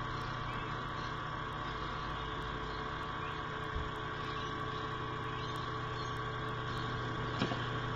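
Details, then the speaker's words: Dell Inspiron 15z 5523 Ultrabook laptop, about three years old: steady airy whir with a rough mid-pitched hum from the cooling fan, noisy and needing replacement. "what's the fan starting to make some noise now and obviously it needs replacing"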